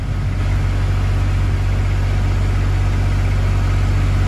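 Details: Newly acquired used diesel generator for a bus conversion, started after upgrading battery cabling, running unloaded: steady, even low rumble with no knocks or misses; very quiet and healthy.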